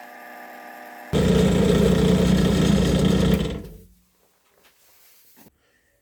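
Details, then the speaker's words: Homemade milling machine on its first test cuts: a loud buzzing chatter for about two seconds while cutting, then dying away; it cuts better but too much play in the whole setup lets the cutter chatter. "surely cuts much better, but there's still too much play in the entire setup. You can hear it chatter a lot, but all the problems can be fixed."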